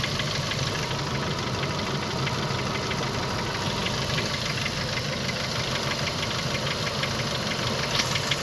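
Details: Renault F4R engine, hot, at idle: sharp, regular ticking knock about three times a second over the engine; knock when hot, cause not pinned down.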